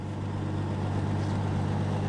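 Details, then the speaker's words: 1973 Dodge Dart Swinger with valves adjusted and rebuilt single-barrel carburetor: smooth, even, very quiet low idle with a steady hum and no knocks, misses or ticks. Normal idle. "it's got a little single barrel carb and it just runs super well you can hear how quiet it is"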